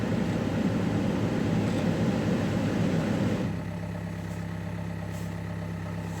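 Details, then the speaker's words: Opel with Z19DTH 1.9 diesel, automatic, hard winter starting, throttle and swirl-flap fault codes: rough idle with steady knocking rattle about three beats a second under deep drone; smoking, owner suspects worn engine or injectors (previously repaired), unconfirmed. "Oh-oh-oh. Oh-oh-oh. Something's rattling, can you hear it? Something's wrong"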